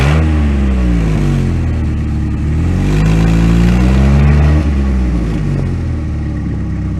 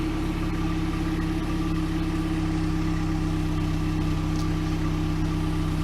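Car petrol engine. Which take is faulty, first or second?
first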